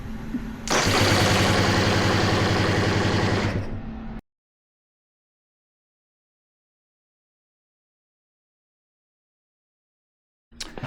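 Steady starter cranking at about 220 compression beats a minute for three seconds, never catches; spark and compression are fine, so suspect fuel delivery.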